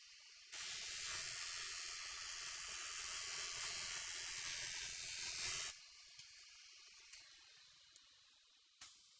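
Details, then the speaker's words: Cutter flattening a wood edge: even hiss of the cutter biting wood runs unbroken about five seconds then stops; earlier passes had silent gaps, now continuous cut means the edge is flat. "it was not completely flat before because as i was running it through there were parts where i did not hear the blade impacting the wood so when i hear that that cutting noise as i take it through the entire length i know that it's now been flattened"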